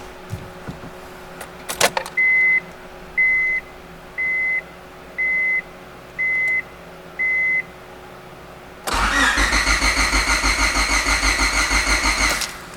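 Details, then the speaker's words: EF sedan with P06 ECU converted from automatic to manual, first start with new ECU: six dash chimes then steady cranking that never catches; crank no start, owner suspects fuel pump not getting power; old ECU starts it. "It sounds like we're not getting the fuel pump still."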